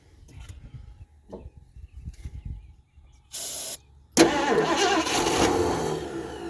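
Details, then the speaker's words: 1978 Mercury Marquis Brougham 400 parts car that sat for years, fed from a gas can by hose with choke sticking; weak cranking attempts, then it catches with a rough, uneven roar that sputters instead of idling: sputtering start. "so I'm going to put the hose back in the gas can now I bet we got fire wants to run that choke is still sticking"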